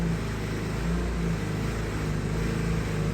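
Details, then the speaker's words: Vespa scooter just restarted after months of winter storage: small engine buzzes a little high on choke, then eases down to a steady, even idle; fast idle on choke settling to normal, left running to avoid flooding the plug. "As soon as it's drop out of the choke and go back to the idle, now it's safe to shut it off."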